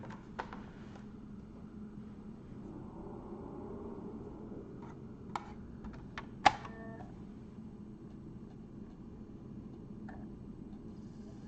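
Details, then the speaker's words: PS2 disc drive under repair: over a quiet hum, a few dry irregular clicks and one sharper clack as the drive keeps seeking, same as before the repair; clicking, fails to read the disc. "you hear that clicking that's what it did before yeah this is not working"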